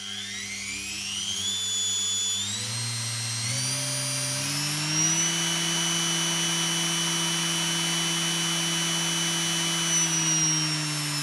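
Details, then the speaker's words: Washing machine motor on a TDA1085C speed controller, wired for a grindstone: whine climbs in steps, holds a steady speed for seconds, then winds down. Brush clicking occurs when rotating against the brush direction. "once you set the speed it just holds it"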